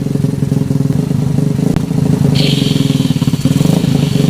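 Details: Honda Revo Absolute single-cylinder motorcycle, pops into gear and dies at idle in gear; harsh clattering roughness at fast idle when clutch pressed, clutch/shift mechanism assembled one tooth off.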